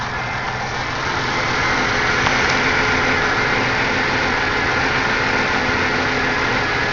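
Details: Supercharged Buick Regal 3800 Series II, about 213,000 miles, recorded under the hood: smooth, even engine note rising slightly with steady supercharger whine, no misfire or stumble.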